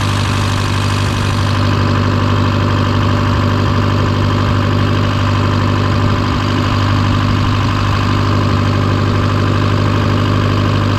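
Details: Case VAC tractor idling after a new aftermarket water pump was installed for overheating after a coolant change; gauge steady around its normal 40°C. Steady, even low rumble, no knocks, misses or surging; running smoothly and healthy.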